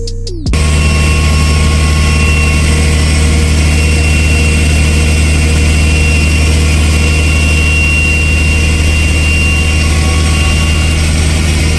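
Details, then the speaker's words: Mitsubishi Evo X on flex fuel with a Garrett 3576R turbo, switching between 93 and E85: strong steady drone at constant revs, no misfire, knock or stumble; the engine sounds healthy, though boost will not go above a certain amount. "the car ran good like it's running healthy it sounds healthy"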